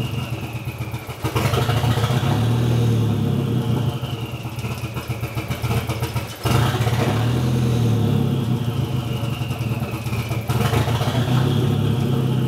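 Idle is lumpy and uneven, with the beat stumbling and the revs sagging now and then as if about to stall: a misfire.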